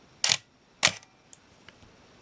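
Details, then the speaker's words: Minolta X-700 35mm film SLR with 50mm f/1.7 lens, shutter test at 1/2 second; two crisp clicks about half a second apart, opening then closing cleanly, timing correct, shutter working normally. "So I thought what we'd do first is step down through the shutter speeds."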